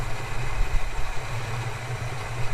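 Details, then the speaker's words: Holden HK V8 idling after half a cup of dishwashing liquid added to the cooling system to flush it: deep uneven loping idle typical of a performance cam; otherwise runs well. "that'll do it sounds like you've got a cam in there"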